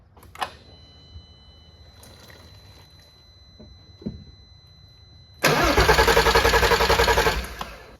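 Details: R32 that sat outside for a long time, first start attempt after refuelling and priming the fuel lines: quiet key-on ticks and faint tone, then an even starter churn of about three and a half turns a second; normal cranking.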